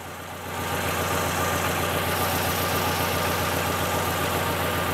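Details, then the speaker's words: Fiat Palio idling with an uneven, lumpy pulse about three to four times a second; one cylinder dead, fault first seen when cold, later traced to a weak ignition coil. "nada todo Aparentemente bien pero hay un cilindro apagado un cilindro que no contribuye"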